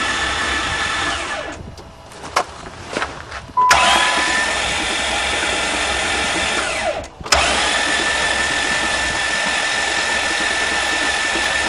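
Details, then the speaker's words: Hydrolocked van after being driven into a lake, intake manifold off and all spark plugs out, cranking to blast water from the cylinders. Fast, even whirring crank with no compression pulses while water flies out; starter motor good. "well that's what the engine sounds like with no compression at least the starter motor is good"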